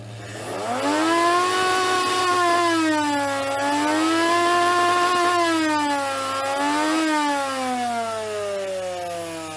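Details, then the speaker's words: Miele S7260 vacuum bought used and cheap, battered: loud wavering motor whine swooping up and down like an air-raid siren; motor noisy, cause not yet found before strip-down. "the motor is also a little bit peaky let's have a listen"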